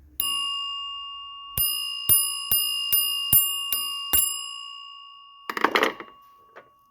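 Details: Vintage 1963 payphone with its cover lifted open: about six clear, evenly spaced metallic bell strikes, each fading out, then rattling handling noise; the bell rings normally.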